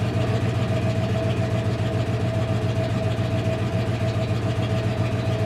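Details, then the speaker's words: 1995 Dodge Ram 1500 318 Magnum V8, automatic 46RE, 284,000 km, burns oil, new fuel pump: low uneven idle that shakes, stumbles and pops; rough idle from breached intake plenum gasket vacuum leak. "but you can hear how crappy it's running at idle and it's got a bit of a pop"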